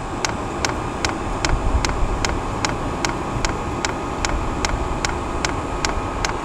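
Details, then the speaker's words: Diesel heater after fuel-leak repair, running and exhausting outside: crisp, steady dosing pump ticks about two and a half per second over a low rumble; pump feeding fuel normally, no leaks seen. "All right, can you hear her clicking? She's pumping fuel good, and I'm not seeing any leaks down here."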